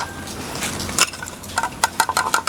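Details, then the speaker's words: Bright clinking and rattling bursts whenever a newly unboxed 70 cm softbox studio light, shipped in a badly crushed box, is moved, like a loose piece shifting inside the housing; the second light rattles too. "What was that noise? something rattling inside."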